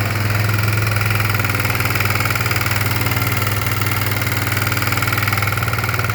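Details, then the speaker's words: Kawasaki Bayou 250 ATV engine at idle: sharp metallic deep knock about four per second, locked to engine speed; valves and cam chain tensioner checked fine, not carbon; owner suspects worn piston wrist pin or bushing, unconfirmed. "a buddy of mine gave me this Kawasaki 250 by you and I cranked it up a bro date and all but it's got a bad knock in the engine"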